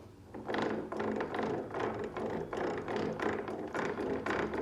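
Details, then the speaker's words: VW 02B T4/EuroVan gearbox in neutral after a 5th gear failure, oil dripping from the cover: rhythmic grinding rasp about twice a second; owner suspects stripped input shaft splines, possibly the 5th gear teeth. "um I want to demonstrate this noise this is just a neutral"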